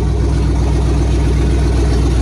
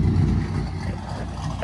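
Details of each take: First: Warm Chevy Tahoe LS 5.3 V8 just after a Chopacabra 220/214 cam swap with new valve springs and LS7 lifters, before tuning; deep, loud idle with an uneven, choppy lope that won't settle into idle, awaiting a tune elsewhere. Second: Chevy Tahoe LS 5.3 V8 with a Chopacabra 220/214 cam, new valve springs and LS7 lifters; deep, lumpy idle with an uneven loping pulse and nothing knocking or ticking, a healthy big-cam V8.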